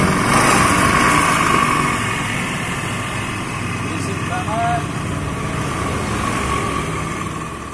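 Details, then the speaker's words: Carburetted Honda Scoopy G2 scooter: coarse, gravelly drone from the CVT belt drive over the small engine's idle, rough and uneven, caused by worn, deformed variator rollers. "Honda Scoopy karbu seri G2 ini mesinnya udah dengerin suaranya keluhannya masalah suara itu Kasar banget suaranya"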